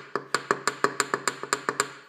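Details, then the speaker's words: Engine on a stand with oil pan removed, connecting rod rocked by hand: sharp metallic clacks about six a second from a worn rod bearing, rod knock; cylinders two and three also slightly loose, crankshaft condition unknown. "that's the noise you're going to hear so that's what Rod knck is and these other two cylinders two and three are actually a little bit loose too"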